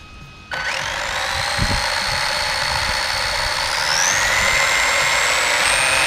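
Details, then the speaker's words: Team Associated Apex RC car in a bearing benchmark: a loud, strained electric whine climbs with power. The car is balanced but loud and dragging, and both diffs are slightly warm. Driveline drag, cause not confirmed. "okay the car seats pretty balanced it's just loud and dragging"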